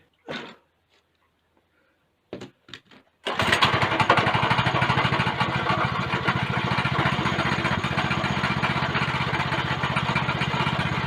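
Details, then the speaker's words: Go-kart small engine with governor bypass catches after a few pulls and runs hard with a harsh, gritty grinding under its steady beat; the centrifugal clutch is completely seized. "now that sounds promising and i did want to go for a ride but this clutch is completely seized you can actually hear it"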